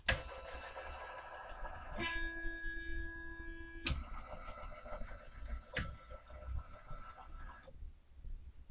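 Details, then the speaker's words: Sainsmart 3018 PRO CNC, GRBL acceleration $120 set too high, cut from 2500 to 2300 and lower: stepper tones broken by sharp clacks as carriage jams, still jamming; stepper motor stalling from excessive acceleration. "it's still jamming, we'll bring that down further. Jammed again."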